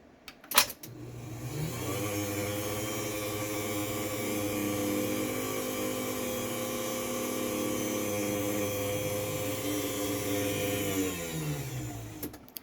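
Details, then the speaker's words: LiftMaster 8550WLB-267 garage door opener, replaced for a bad motor and rebuilt with spare parts: it spins up to a steady hum with a rough, buzzy drone; works, but the motor sounds noisy and not right. "So, you can hear it's a little noisy. It doesn't really sound quite right, but again, it works."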